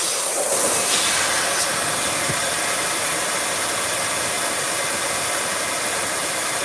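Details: Tire valve leaking while a replacement core is tried: a constant high, sharp hiss with no rhythm and almost no low sound; the new core was then locked in against high air pressure with a long tool.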